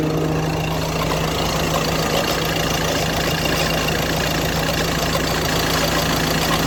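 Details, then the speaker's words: 2017 Ford Transit diesel at idle: busy, gritty crunching clatter over a steady hum, recurring periodically, usually when the air conditioning is switched on; abnormal, source not pinned down in the clip. "now I'll insert a short video about how the engine works and makes some kind of crunching sound then I will tell you the solution to this problem"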